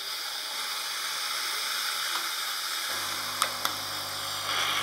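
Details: Francis Francis X6 (Illy X6) espresso machine under repair for no water flow, while heating up: soft steady steam hiss, then a low hum joins as it heats. Steam flows freely, but water flow remains an issue.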